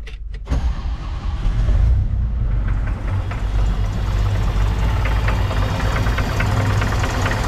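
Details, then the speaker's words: 1981 Chevrolet Opala Comodoro 4-cylinder engine: catches and settles into a heavy idle with a hard, rapid clatter, sounding like a diesel; loud knocking of unclear origin. "Fala galera bom dia vocês já escutaram o barulheira que tá esse motor parece que é o motor diesel"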